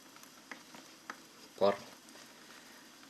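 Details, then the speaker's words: Humidifier with constant reverse-osmosis water feed, float-valve level control, 12 V cooler fan for air and ultrasonic evaporator: quiet steady hiss with soft pops and a gurgle about every second, slight fan noise, mostly air moving in the elbow; normal bubbling operation. "Вот такое бульканье слышно. Чуть-чуть вентилятора, но больше движения воздуха в самом угольнике."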